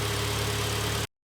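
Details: 2012 Kia Sportage 2.0 G4KD, 95,000 km, after rebuild for heavy piston knock (block bored to repair size), heard from outside: about a second of smooth, quiet, even idle with no tapping or knock; engine runs healthy.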